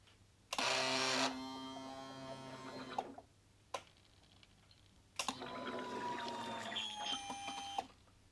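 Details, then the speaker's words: Rebuilt 2022 Royal Enfield Classic 350, fully reassembled after a stolen-and-recovered restoration; ignition on indoors, two short electric whirs as the fuel pump primes to get petrol through before the first start; normal priming. "I'm going to Prime this a few times to get the petrol through oh f f gate is working and you'll hear the pump"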